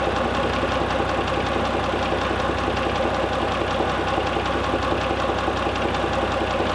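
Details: Mitsubishi Pajero III, 6G74 3.5 L GDI, steady idle with a dull knock tapping through, fairly even but not quite regular; engine knock, cause not determined by ear.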